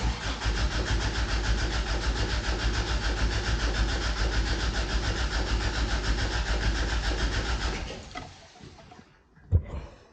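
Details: 1988 Toyota Pickup (Hilux), off the road nearly 5 years, fresh gas added and new fuel line: steady even starter cranking about eight seconds, no firing, then stops. Crank no start; owner concludes failed fuel pump.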